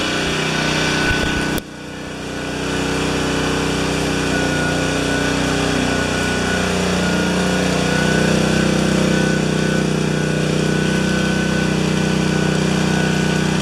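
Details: Self-propelled mower, earlier fixed for a loose coil and bad rewind, with self-drive belt tightened and RPM raised slightly: catches after a short pull and climbs to a steady, even high buzz. Normal running.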